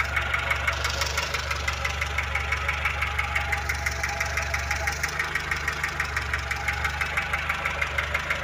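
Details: VAZ 2106 engine at idle: steady fast ticking, about three a second, under the valve cover, louder when cold. Timing gears and chain also found slightly worn.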